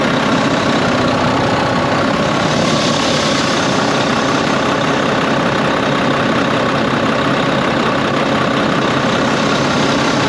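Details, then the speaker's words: Volvo VNL truck with a D13 diesel that made a loud windy noise at its first start after an accident: a loud airy whoosh rides constantly over the idle. It is an exhaust leak at a clamp, where black smoke shows. "You can see where the black like smoke is coming out."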